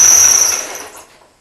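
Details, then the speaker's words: Supercharged LS1 on first startup after blower install; shrill steady squeal from supercharger belt, stopped instantly by WD-40 at the belt; owner to check idler pulley bearing. "Sounds pretty gnarly. Definitely squealing on this belt here. You can see I put that WD-40 just in front of that belt and it instantly stopped the squeak."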